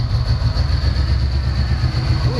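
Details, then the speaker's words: 1990 Ford Mustang 5.0, running after sitting 4+ years with the engine apart, fuel pump just replaced: lumpy, uneven idle right after startup, one cylinder seemingly missing. Owner pulls plug wires to find it, checks for vacuum leaks, suspects bad injectors. "the plan is i am going to remove each spark plug wire while the car is running and i'm going to figure out which cylinder is missing"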